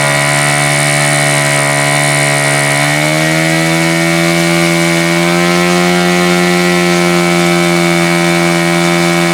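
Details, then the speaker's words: Super Tigre G4500 glow engine, first run: high steady buzz stepping up around three seconds in, slightly uneven burbling idle; owner suspects the low end is a little rich and leans the low-speed needle slightly. "So I think it's safe to say it might be a little rich on the low end, perhaps. I'm going to give it just a little bit of a turn here."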